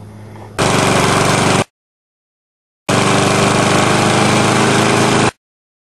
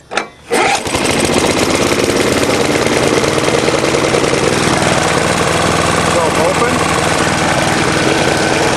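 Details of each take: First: Older Briggs & Stratton mower with Choke-A-Matic carburetor, mixture screw set a quarter to an eighth turn back from rich: small single-cylinder engine runs steadily in each burst with no knocking or surging; normal running. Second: Older Briggs & Stratton Choke-A-Matic mower engine, cold start with air cleaner cover off: catches and settles into a steady, slightly uneven run that sounds a bit rich.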